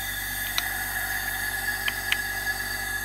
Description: This is a Honda F20B inline 4 that had low compression on cyl number 4. Upon investigation we found bad intake valve/valves to be the source of the leak.